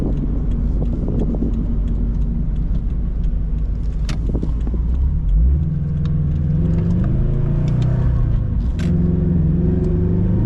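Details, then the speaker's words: Modified Toyota FRS while cruising: a steady drone with a whine that climbs with speed; the differential or solid engine mounts are suspected, though the mounts look like factory rubber. Unconfirmed. "man it has like a weird wine yeah that's definitely a diff difference"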